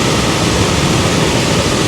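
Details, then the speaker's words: 2004 Toyota Tundra HVAC blower, new replacement motor on high speed, settling at about 9 A, a smaller draw than the worn old motor: steady, even rush of air with no ticking, rubbing or squeal. Normal blower operation, high speed. "well there you go so hi we're we're topping out and settling in right at 9 o and that's really what I hope to see is a smaller amp draw on this new motor"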